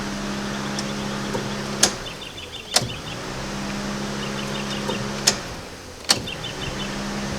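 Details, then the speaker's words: EK Civic hatch turbo project car, key-on test before ECU is fitted: each key-on brings a steady low electric hum for a couple of seconds broken by clicks; fuel pump priming normally. "so it does sound like fuel pumps running go ahead and pry out a few times"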